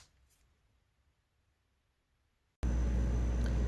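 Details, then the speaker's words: Refrigerator after replacing the failed compressor starter relay (it had caused a clicking noise every minute and no cooling): on plugging in, the compressor restarts abruptly into a steady low hum with the fan running; normal compressor run. "I plugged in the refrigerator I started hearing the compressor come back on as you can hear by the humming the other sound is the fan which is running too"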